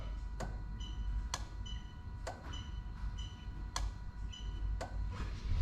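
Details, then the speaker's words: Lexus LS400 1UZ-FE VVT-i hardwired into an IS200, ignition on, engine off: crisp single relay clicks about once a second, relay pulling in and releasing cleanly; normal. "Okay, so again, the relay is going to click. So 1, 2, 3."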